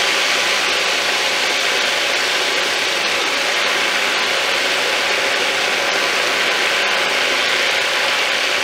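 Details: Thumlers UV18 vibratory tumbler, a little over half rocks plus ceramic media, water and 4 scoops 120-220 grit: dense constant rattling hiss of churning media, no knocks or stalls; normal running.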